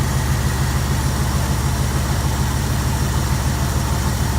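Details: Jeep Grand Wagoneer at idle after fitting a higher-output 94-amp alternator, air filter dirty and due for change; deep, even rumble with a steady beat, nothing knocking or ticking; healthy engine.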